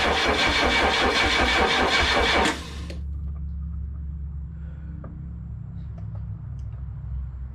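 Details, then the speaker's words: Chrysler LeBaron in garage on borrowed battery, distributor installed 180 degrees off: starter spins the engine steadily for a couple of seconds with no firing at all; ignition timing badly wrong, distributor 180 degrees out. "i put it as close as i can just so i have a good reference and i had the distributor 180 off though so that was my big issue"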